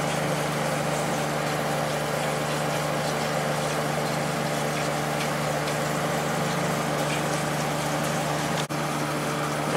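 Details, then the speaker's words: Late-90s Whirlpool Accudry 40-pint dehumidifier (reciprocating compressor, Emerson fan motor), about 10 minutes running: steady, even hum, constant low drone and fan rush, no rattles or cycling; evaporator cold, condensing, not frosted; healthy. "It's been running for about maybe 10 minutes now. Coil is getting some condensation on it. It has not frosted up at all."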